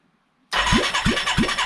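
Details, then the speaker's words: 1989 Yamaha Moto4 350 during a budget rebuild, first compression test with original valves. Cylinder read about 90 PSI dry, then 150 PSI after oil was squirted in. Sharp catch, then strong, even cranking pulses about three per second: healthy compression, she'll run. "Oh, look at that. With a wet cylinder, 150 PSI. She'll run."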